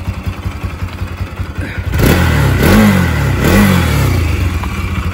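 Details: Bajaj Pulsar AS200 after seized-engine repair, water pump seal and clutch plates replaced, tappets set: even idle thump, then two quick throttle blips climbing and dropping back cleanly; smooth steady firing with no knock or rattle.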